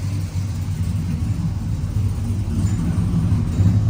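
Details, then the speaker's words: 1999-06 Chevy Silverado V8 with new Flashark headers and intake, MagnaFlow single-in dual-out exhaust, warmed-up idle on speed-density tune needing more fuel: deep steady rumble, even burble, no misses or ticks; healthy warm idle. "It's a little bit warmer now. Let's listen. Very nice."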